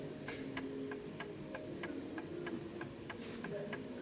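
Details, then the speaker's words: 1930s Garrard Art Deco oak mantel clock, 8-day pendulum movement with gong strike, after calibration: crisp, evenly spaced tick-tock about three beats a second, steady and balanced, running nicely in beat. "So that's ticking away quite nicely. So I'm going to let that go."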